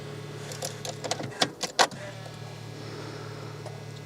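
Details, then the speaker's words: BMW E46 3 Series during fuel pump replacement, ignition on, priming: a steady low electric hum under a few handling knocks; the fuel pump is noisy, possibly still bleeding air, and the pre-supply pump also sounds noisy. "Yep, fuel pump sounds quite noisy. I guess it's just bleeding all of the air out of it."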